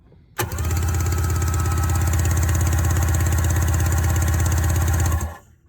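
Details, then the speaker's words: 1994 Sea-Doo SPX, spark plugs removed before compression test, on a booster pack: steady, even cranking at about 220 pulses a minute with no catches or drag; engine turns over freely and normally. "looks like it's turning over fine let's hook the compression checker up"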